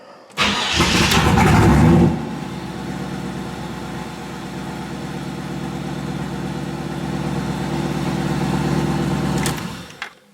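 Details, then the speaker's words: 1986 C4 Corvette after installing GlowShift GS-TCD10 digital tach and HEI tach signal filter, battery charged overnight: cranks about two seconds before catching, then uneven idle (expected about 800 rpm) until shut off; owner suspects something flipped, probably cylinder 3. "Yep. Well, I guess I will take it apart and flip that around. It's probably on cylinder 3."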